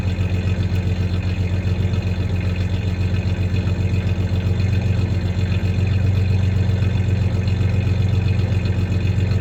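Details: 1993 Ford Ranger 3.0 V6 idling with a slight misfire, plus a little rev: low steady idle with an occasional uneven, lumpy beat; the clanking is tie-downs in the bed, not the misfire.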